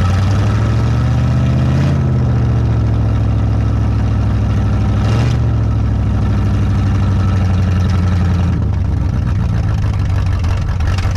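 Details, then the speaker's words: 1974 Dodge Monaco V8, parked in a barn since 1990, first run on carburetor (needs rebuild kit): deep, steady burble with an even beat and smooth throttle changes; engine sounds healthy. "that engine sounds good and healthy"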